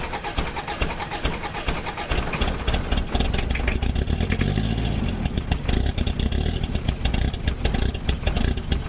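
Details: Old Ford Courier WL-T diesel cold start in summer, getting very hard to start: uneven lumpy idle with irregular heavy pulses; glow plugs removed to diagnose.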